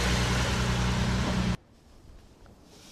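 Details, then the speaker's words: Series 1 Jaguar E-Type (early, about 1961) starting after a complete ignition system overhaul, with ignition on and a little choke; it settles into a steady, even idle with no misses or stumbles. "Ignition on and start. A little bit of choke. There we go. Whee! Beautiful."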